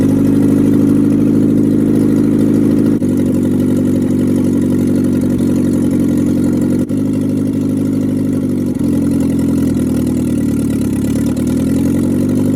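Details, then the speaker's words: International Scout 800 saved from the junkyard, engine freed up, carb tuned: steady, full-bodied engine note held for several seconds with a few smooth blips, no knocks or misses; normal healthy running. "i'll tell you what i can't believe how good this engine's running now"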